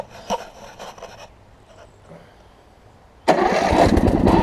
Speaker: i mean it fires right up gotta put a new brand new battery in it